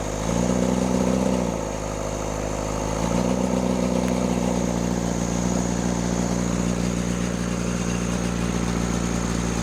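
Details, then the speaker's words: Rebuilt Cummins diesel in a Case 1840 skid steer, throttle propped at raised revs, shortly after the injection system was opened. A slightly uneven, wavering beat signals a misfire. In the balance test, loosening cylinders 1 and 2 changed little but reduced smoke; the owner suspects their injectors. "Sorry I didn't get that real great on that cylinder balance test, but what I gathered was when I had the throttle propped open, cylinder 1 and 2, so the front two up there, didn't really change it a whole lot as far as how the engine ran."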